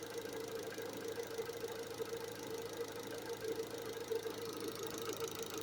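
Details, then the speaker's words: Opel Astra running on LPG after valve stem seal replacement: quiet, even idle with a soft rapid ticking from the gas injectors and a faint hum. The engine itself sounds healthy. "gdyby nie te stukające wtryskiwacze od gazu to prawie słychać się maskę zamknęło"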